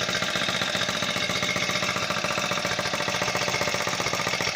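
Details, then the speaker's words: Small 4-stroke foldable scooter engine just pull-started: fast even putter with a busy, slightly rich note; a normal idle while still on choke. "I think it was already on choke already, so I think I can take it off."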